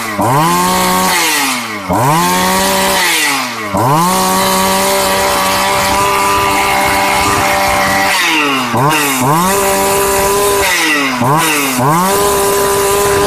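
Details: Shindaiwa 757 two-stroke chainsaw, used, easy starting, oil pump working well; revs up and drops back several times, climbing quickly to a clean steady scream and settling at idle without stumbling; normal running.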